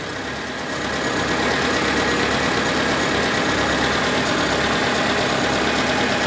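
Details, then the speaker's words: Proton Satria 1.5, bought cheaply after standing abandoned in a field: engine idles with a surging, uneven note and an occasional missed beat after the ignition coil and plug leads are refitted; compression test finds hardly any compression on cylinder 1. "Can you hear that? No, you can. A surging."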